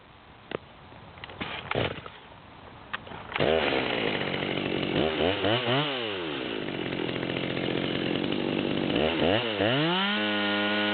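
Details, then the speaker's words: Nearly brand-new Stihl MS200T chainsaw with 25-inch bar, high-speed screw backed out to the stop: revs up and wavers at top speed with a burbling high-idle miss, running rich and four-stroking. "so we can hear the high idle miss I think that high speed is backed out all the way to the stop at that point the saw is pretty much brand-new"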